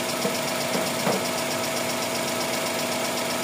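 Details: Toyota Corolla GLi 4A-FE engine at steady idle: light, fast ticking on top, valve tap from excessive clearance; valve shims need replacing, no sub-gear noise.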